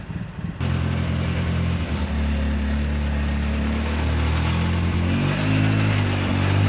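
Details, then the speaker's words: 2008 Polaris Sportsman with tracks on a very cold day, after installing a new fuel pump sending unit for a flashing-screen fault: starts cleanly, holds a steady, even low thrum that picks up smoothly; running healthy. "seems like it's working pretty good"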